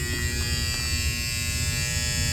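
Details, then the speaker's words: Seasons 4 store HVAC unit, supply blower running (inverter failed), drawing 28 A: steady electrical buzz over constant blower whir; contactor vibrating and humming, to be replaced. "I don't like it when they chatter. Not chatter, but I don't like it when they vibrate like that."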